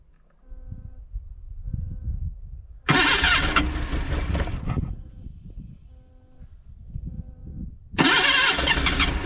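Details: 1979 Datsun sitting about 30 years, HEI distributor being wired up: two bursts of fast starter churning, almost catching then dying; no start. It later ran, with a large vacuum leak from a broken fitting found.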